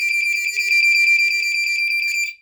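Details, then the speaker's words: Comparison test of a GE smoke detector, powered by the battery moved from a vintage Black & Decker SMK-6D/M1: loud, shrill, very fast warble for about two seconds. It is faster than the Black & Decker's coding; a normal alarm test sound. "so that one, as you can hear, is the normal, like, GE warble tone that's really, really fast. But this one is not quite as fast. But still, it's faster than these, than the normal ones."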